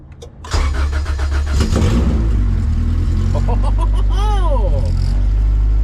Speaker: oh damn right away zero mile rebuild b20z wow it sounds good it sounds really good